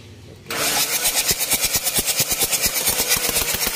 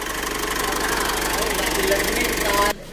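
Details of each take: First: Mitsubishi Triton HDX common-rail diesel, injector test before replacement: catches and clatters unevenly at about three beats a second; symptoms hard morning starts, thick smoke, weak power, attributed to faulty injectors; pressure calibrated adequate. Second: Mitsubishi Triton HDX common-rail diesel after injector installation, which fixed hard morning starting, thick smoke and weak power: even, steady idle clatter, no misses or roughness, smoke gone; normal idle.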